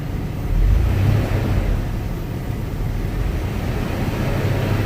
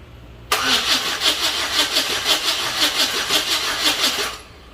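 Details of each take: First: Chevy S-10 donor engine at operating temperature, oil pressure about 30 psi, after timing check, being revved: steady low rumble, short rise in engine speed, then even run with no knocks or misses; runs smoother the longer it runs. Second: Chevy S-10 donor truck with bad spider injector, no fuel pump heard: steady starter cranking about three beats a second for four seconds, getting spark but never firing; crank, no start.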